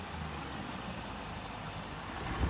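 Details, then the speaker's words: Mercury Mariner 60hp 2-stroke outboard that bogged at full throttle, after cleaning sludge from all three carbs: steady, even buzz picking up a little near the end, no stumbles or misfires; running smoother and revving fairly well. "is running a lot smoother and I'll revving up fairly decent"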